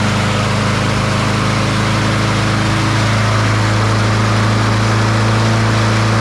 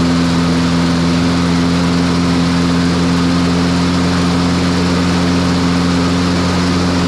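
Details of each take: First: Troy-Bilt TB200 push mower, Briggs & Stratton 550E 140cc engine, before service with dark oil: runs unevenly, speed surging then settling higher; rough running. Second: Troy-Bilt TB200 push mower, Briggs & Stratton 550e 140cc, after full service (oil, blade, spark plug, air filter); previously would not start after 14–15 pulls, now starts on third pull: steady, even single-cylinder drone with constant pitch, no misses or surging; normal running.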